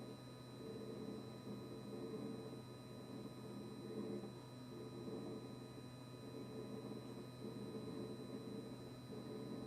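A steady low electrical hum with a faint high whine holds unchanged throughout; the fridge compressor is buzzing constantly, cause unknown.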